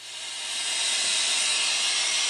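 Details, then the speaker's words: Behringer Xenyx QX1202 USB mixer: a loud, steady, bright hiss swells up as the channel effects send is turned up, while the channel is clear with effects off. The cause is the jack. "the problem is the jack now you hear this noise here that hysterized there's no effects the effects is running but there's an awful noise coming t"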